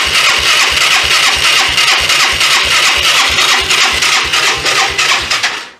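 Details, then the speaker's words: 1993 Yamaha Riva 125 scooter with a cheap GY6-type replacement carburetor and the vacuum-operated fuel valve apparently not feeding fuel. It pops along at about three beats a second on residual gas in the bowl, then fades and cuts out from fuel starvation. "I think I'm not gonna have any fuel though because of No thank you let's see what happens yeah residual gas in the system"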